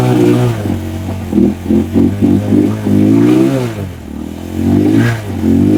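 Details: Rusi Macho 175 after water was cleared from the tank and carburetor: single-cylinder picks up cleanly through quick blips and a longer rev, then drops back to a steady idle. Healthy.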